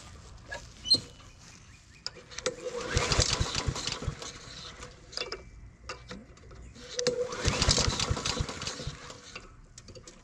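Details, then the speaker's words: Old Honda mower with auto choke (thermo wax assembly) that is hard to start, freshly fueled: two recoil pulls spin the engine briefly, it coughs and dies each time; auto choke suspected stuck open. "you can see the it doesn't want to start so I think what we're going to try to do is see take a look at the automatic choker"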